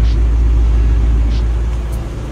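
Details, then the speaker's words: Oil-burning engine, suspected stuck oil rings, running with engine flush added to the oil: steady low rumble at idle, even, no knocks or misses; runs smoothly. "engine store runs smooth"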